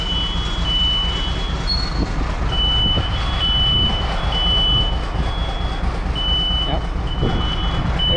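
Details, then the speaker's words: Peterbilt 352 cabover diesel, ether-assisted cold start after sitting long, inside the shop: repeated high chirping smoke alarm tones over steady diesel idle rumble; exhaust smoke tripped the shop smoke alarm. "all right my peterbilt set off the smoke alarm they thought my shop was on fire"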